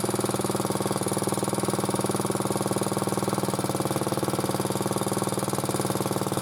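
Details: Motor-cultivator that knocked and stalled in autumn after hard use, started poorly; idling after cleaning; steady single-cylinder idle with light even tapping about four a second; owner suspects a valve tapping, not a knock, before valve check.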